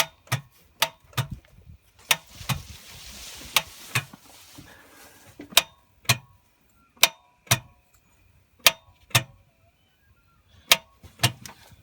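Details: Holden VT Commodore starter being struck with a hammer: sharp, isolated clicks at irregular intervals with nothing turning over; starter clicks without cranking, faulty starter motor.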